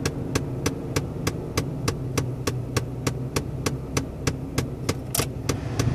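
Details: 2011 Toyota Tacoma at start-up: sharp, even clicks about three per second over a low hum from behind the dash; a repeating knock of unknown source.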